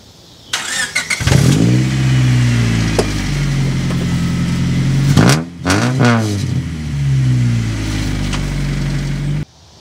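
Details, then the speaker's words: 1997 Honda Civic coupe with the rear muffler missing from the exhaust: engine catches and revs with a loud, deep droning bark rising and falling with throttle. "and as you can hear there's a little bit raspiness going on I think I need to put a glass pack in line because it has a resonator"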